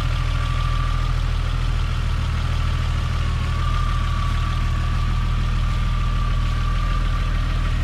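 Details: Toyota Supra Mk3 7M-GE turbo-converted (NA-T), after switching from distributor to 2JZ/IS300 coils with stock 7M-GTE igniter; starts fine, steady even low idle with no misses or knocks; only issue is the NA tach not working.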